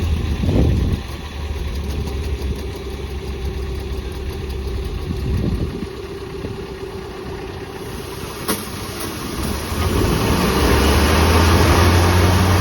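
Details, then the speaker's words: Spartan Urban Warrior hydro jetter truck at idle during its first service. Steady pulsing throb instead of a smooth run: the pump pushes an estimated 3–4 gpm at idle through a ripped, kinked, leaking quarter-inch supply hose that passes only about 1–1.5 gpm. Parts ordered. "he located a hose that was ripped and kinked in our machine which is why it's uh not running smoothly it's pulsating as he was saying"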